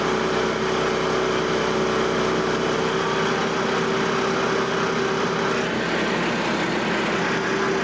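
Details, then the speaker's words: Frontier OS27 sawmill engine, about 24-inch-wide, 7-inch-deep white pine cut at slow carriage feed, operator listening to engine RPM: steady mid-pitched drone holding speed without bogging; healthy under load. "But that's what I'm listening to. I'm listening for the RPMs of the engine."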